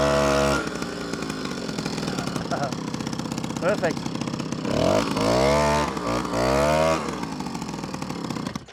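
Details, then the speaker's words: Old moped revived after 5 years in a barn on old fuel, with a new spark plug and a slightly adjusted carburetor: a small two-stroke buzzes steadily with a crisp, even exhaust rhythm and clean revs on blips. It runs healthy now. "So, 5 years in the barn. No new fuel on it. Just changed the spark plug. Adjusted the carburetor a bit."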